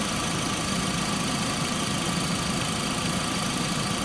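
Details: Stethoscope held to the water pump pulley on a running engine with a whine that turns out to be from the alternator pulley: steady even hum, no whine; normal water pump pulley.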